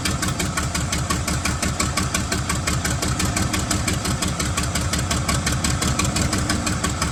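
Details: 1975 White 2-150 tractor, diesel, first run after about 19 years dormant with no muffler fitted: loud, raw clatter beating steadily; it fires and keeps running evenly.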